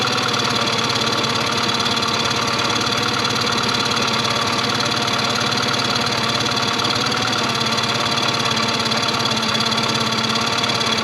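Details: 2001 Yamaha 15hp four-stroke short-shaft outboard, sat in a barn 5 years, after service: settles into a steady idle with an even beat of about three to four per second while idle is set by ear; runs smoothly.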